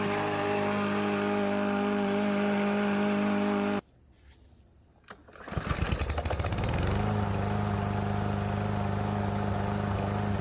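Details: Troy-Bilt TB110 mower with a Briggs & Stratton engine, which quit after sitting for months. It runs steady and even, drops out briefly, then picks back up to a smooth constant drone: normal running.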